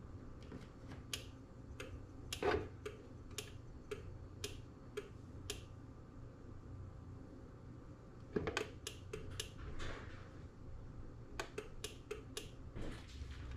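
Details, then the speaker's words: LiftMaster garage door opener after replacing its 45ACT logic/control board: only sharp, irregular dry clicks with no motor run between them; travel can be programmed but the door never moves either way, cause unresolved. "So we can program the travel but the travel doesn't go anywhere. So same thing on either of the travel pieces."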